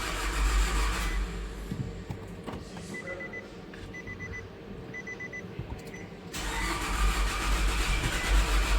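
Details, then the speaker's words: 2011 Nissan Altima, first start after engine swap (old engine used a quart of oil weekly), weak battery: sluggish cranking about 2.5 turns per second, no firing; later started with jumper battery; slow crank, no start. "So, No start first try kind of sounds like no compression"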